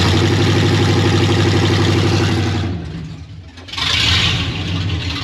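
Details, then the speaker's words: Chevy 1500 OBS truck after 4.3 V6 to 350 V8 swap, not yet driven, ECM confirmed good: steady deep V8 burble, even apart from a brief dip; normal idle. "So this thing will fire up. We haven't even drove it yet, but we have started it, so I do know that ECM is good for it now. Sounds good."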